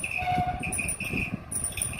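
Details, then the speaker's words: Mondial household fan running: steady high squealing whine over an uneven scraping low rumble, suspected to come from the bearing, which started suddenly overnight; unit to be opened and adjusted. "Esse aqui é a parte do rolamento, fazendo o barulhão que tá fazendo."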